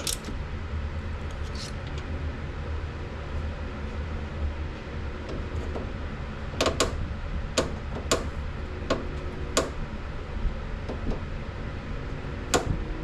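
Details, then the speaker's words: S550 Mustang GT, car on the ground: sharp irregular creaks and pops over a low hum as the steering wheel is turned; silent with suspension unloaded and sway bar end link removed, so owner suspects the upper strut mount pillow ball bearing. "So, since I checked turning the wheel while the car was in the air and pressure was off the suspension system and Nothing made any noise, including when I took off the sway bar end link."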